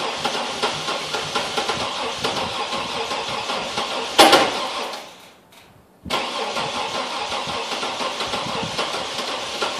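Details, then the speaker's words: Chevy TrailBlazer V8, 170k miles, cold hard start: steady starter churning with no catch, a pause, more cranking without firing; cranks but no start, owner suspects dead cylinders. "Looks like it's not going to start today."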